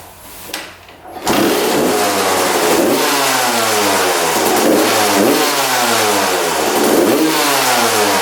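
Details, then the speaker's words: Freshly rebuilt 1993 or 1994 Suzuki RM125 two-stroke blipping with soft, blubbery revs, apparently running very rich. It is fouling plugs and sludge is coming out of the pipe. Throttle response was crisper with the fuel turned off. Owner suspects the carb and needle position. "so I'm guessing this bike is running really rich and uh that's why it's fing plugs you can see the sludge coming out of the pipe so yeah it's it's burning off a lot of gas"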